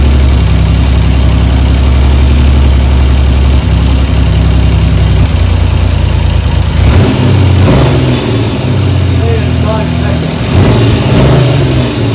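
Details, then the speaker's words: 1975 Triumph Trident T160 three-cylinder after full restoration, not fully warm, idle fault traced to throttle slide/cable issue: loud, steady tick-over, slightly uneven while cold, with brief throttle blips; runs properly, normal idle. "it now is a completely different engine it runs perfectly"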